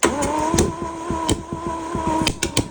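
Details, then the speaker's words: 1966 Mercedes-Benz 230S revived after sitting 20–30 years, new fuel in dirty carbs, right side of engine: irregular uneven pops over lumpy idle, only three cylinders firing some of the time, carb fuel found dry; misfire. "You can see the combustion. You could see it. Now, why are only 3 of them combusting? Only some of the time."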